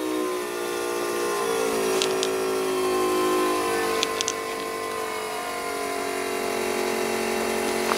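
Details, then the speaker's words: 5.9 Magnum 360 cu in fuel-injected V8 swapped into a lawnmower, stand-alone fuel system before first start: quiet steady electric pump whine with faint fuel return rushing and light clicks, regulator being adjusted up; normal pump operation. "You can see our pump working away in there, hear the return, doing everything it's supposed to do."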